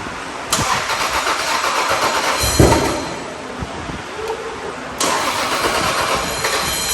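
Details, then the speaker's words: MK4 Supra with swapped older Toyota engine, first start attempt on Aristo ECU, stock fuel pressure regulator removed and bigger injectors fitted: two long runs of even cranking, never fires; flooded with too much fuel. "so the car didn't start today and uh there are a few things going on one I removed the stock fuel uh pressure regulator here and I also installed bigger injectors so what I noticed is the car was getting way too much fuel so one it didn't want to start"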